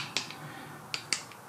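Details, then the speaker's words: 2006 Chevy Impala 3.9 V6, intermediate steering shaft removed under the TSB for clunking while turning. Sharp dry clicks are heard as the old shaft is worked by hand, from worn splines with a lot of back-and-forth play. "I can feel some back and forth play on it too like whenever I'm going up and down side to side yeah I don't know if y'all can hear that but it does have a lot of play in it"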